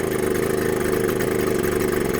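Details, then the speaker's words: 1979 Suzuki JR50 minibike two-stroke, float set to 24.5–25 mm spec; slow to come off idle, low labored uneven idle that air-mixture adjustment won't fix, passages and jets clear; air leak causing rough idle, new carburetor ordered. "And watch how slow it is to come off idle. Classic air leak. right there."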